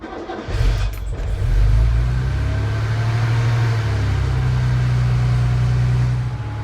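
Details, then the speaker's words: Mercedes R107 started from cold: a short, heavy crank before it catches, then a deep uneven rumble settling into a steady idle; it always starts first time but sounds labored when cold, and the owner suspects the starter motor. "but the first time you start it when cold it just sounds like it's a little bit labored and i think there's a problem with the starter motor so just have a listen to this"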